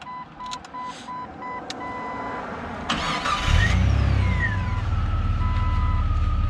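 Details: 2001 Jeep Cherokee XJ Classic, 4.0 I6 PowerTech, AW4 automatic, 125,000 miles: a chime beeps, the starter cranks briefly, and the engine catches and settles into a smooth, steady idle with no knocks. Normal cold start, no leaks.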